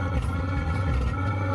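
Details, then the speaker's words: Diesel heater being installed in a camper van and tested, heard as a steady deep rumble with a droning hum underneath; it sounds rough and wrong, and the cause isn't stated. "That's not supposed to sound like that."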